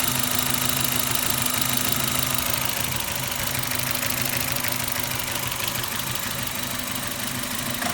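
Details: Suzuki Ignis M13A petrol engine at steady idle with fast, fairly even metallic tapping, roughly three per second; engine knock, source not yet pinned down.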